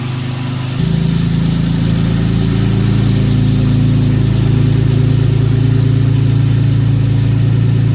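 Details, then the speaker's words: 1957 Jaguar XK150 FHC with rebuilt twin HD6 SU carburettors, new aluminium radiator and Tremec gearbox, first start on baseline timing and mixture: brief crank, steady even low idle, starting carb audibly hissing; normal idle. "You can hear the starting carb hissing away."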